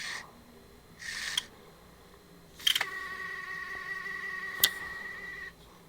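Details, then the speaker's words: PSP 1000 loading a UMD: clicks as the disc seats, then a steady high whir with rough scraping grind while spinning; the drive grinds when loading but still loads. "It's loaded. That does not sound good though. Damn. Oof. That is rough."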